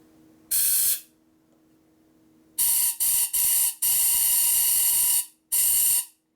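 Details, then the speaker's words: Harley Twin Cam 110/117ci flywheel rebuild: shop air from a rubber-tip nozzle is blown through an oil passage, giving sharp bursts of high airy hiss. Strong, steady flow comes out the other hole, so the passage is clear. "Okay, it appears to have the appropriate amount of airflow blowing through it. See, this hole blows straight through that hole."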